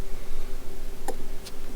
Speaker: you can probably hear that it's clicking because it doesn't want to doesn't want to acknowledge that the battery is there